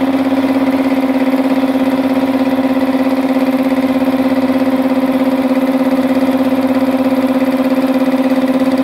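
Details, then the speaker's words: Multipro 2 hp electric air compressor running after repair: packing debris from the tank had caused a leak at the bottom of the pressure switch. Steady even hum with a smooth, regular pump beat, no hiss or stumble; it now fills normally. "air compressor ini sudah tidak bocor ya sudah tidak bocor artinya sudah sembuh ini jadi kompresor listrik dari multipro"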